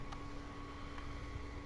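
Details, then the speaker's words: HG680P OpenWRT set-top box modified with a 4 cm DC fan; a constant low drone with a steady tone above it and no change in speed; the small fan runs very loud and noisy. "suaranya keras banget berisik gitu"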